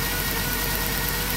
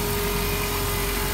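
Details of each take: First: 2007 Dodge Grand Caravan V6 at idle: steady beat with a faint uneven stumble; misfire from a damaged plug wire boot arcing to the block, found with a timing light after a coil was suspected; plug wires need replacing. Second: 2007 Dodge Grand Caravan after fixing a misfire from a broken ignition part leaking electricity: even idle with a steady hum and no stumbles or misses, sounding much better and no longer dieseling.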